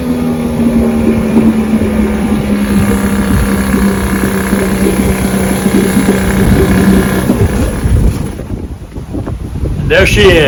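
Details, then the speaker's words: 1959 Johnson 5.5 HP two-stroke outboard after complete powerhead, magneto and carburetor rebuild, test-run and fine tuned: steady-speed buzz with an even exhaust note over wind; sounds healthy and well tuned. "Larry powerhead rebuilt Magneto rebuilt carburetor tested fine tuned Auto's great ready to ship back to Larry"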